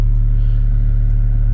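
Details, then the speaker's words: 2015 BMW 335i with key on and the blower running, over a complaint of an excessively loud blower. A loud, steady low drone with a slight throb comes from the dash, which also vibrates; the mechanic suspects something inside the blower motor, which is accessed from the passenger side and replaced. "you can hear that and then you can fill the dash vibrate to as well so but again I'm suspecting there's something in the blower motor"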